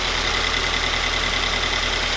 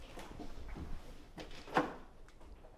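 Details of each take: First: 2020 Toyota 86 just fitted with Megan Racing headers: steady, quiet idle with a thin constant high whistle; suspected exhaust leak from one header bolt that could not be fully tightened due to pipe placement. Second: 2020 Toyota 86 first start just after installing Megan Racing headers and overpipe with catback, one header bolt not fully tightened: brief clicks and rustle, then catches at once and settles into a steady, very quiet fast idle; healthy start.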